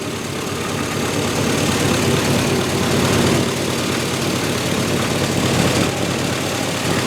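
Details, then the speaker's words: Turbocharged 1961 Chevy pickup on day 5 of its first start, with a junkyard throttle actuator controller now fitted. Rough, loud idle with a raspy, hissy puffing edge over the low rumble from an exhaust leak at the turbo V-band clamp. "Have an exhaust leak at the V-band."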